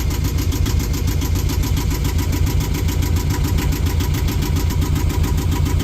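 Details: Yanmar diesel on the boat Sarabi just after first start, settling at a high warm-up idle while charging starter battery 14.5 V, leisure 14.4 V; steady even clatter, no knocks or misses; normal warm-up idle.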